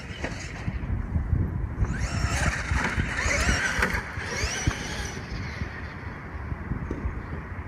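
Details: Traxxas X-Maxx RC truck test run after a differential noise from a seized ring-gear-side bearing was fixed: motor whine rises and falls with throttle over tyre rumble, no grinding or knocking; the drivetrain runs cleanly.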